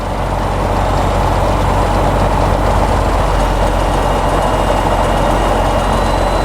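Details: Tecnam P2002 single-engine piston aircraft after a cold start, warming up at about 1,100 rpm: a loud, steady low drone with an even propeller thrum and no misses or knocks, idling smoothly.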